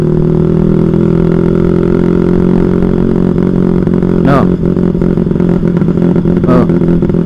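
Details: Carbureted single-cylinder bike, carb cleaned the night before: pulls evenly at part throttle, then stutters and breaks up when revved harder; high-rpm misfire, owner suspects the carburetor, unconfirmed.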